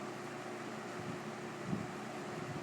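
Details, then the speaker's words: New-old-stock Superlectric box fan, model 2072, two-speed with plastic-shelled motor, running on high: steady low hum under an even rush of air. Slight whine at startup and motor hum while running, possibly easing with use. "as you might have heard um probably might have heard the motor does still have a little bit of a wine to it when it starts up then has kind of a hum when it runs but that may probably go away in time"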